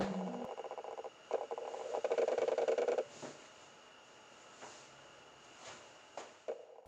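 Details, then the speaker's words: Canon EF 24mm f/1.4L first version (1997) autofocusing in a quiet room: short, buzzy whirring bursts as it hunts. The old autofocus motor is loud but barely noticeable outside quiet spaces. "It's loud, but as long as you're not inside a basically quiet apartment, you can barely hear it."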